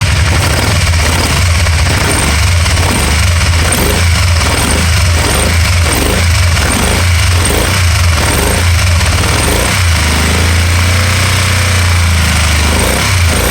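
Steady deep engine note with a regular stumble about three times a second that smooths out near the end, an intermittent misfire.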